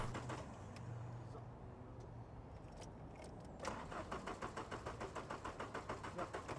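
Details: Barn-find supercharged VW Corrado G60 with modified engine, long unused: fuel pump primes, then even cranking about 200 rpm without firing; no spark found at a pulled plug.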